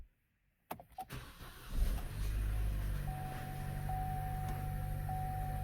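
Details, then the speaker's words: 2012 Chevy Cruze with check engine light, running poorly and smoking; engine cranks, catches and settles to a low, uneven, stumbling idle as cylinder 4's misfire count climbs fast; cylinder misfire pinned on cylinder 4, compression test next. "all right you can see on cylinder 4 there she's climbing pretty fast some will say cylinder 4 is definitely the problem"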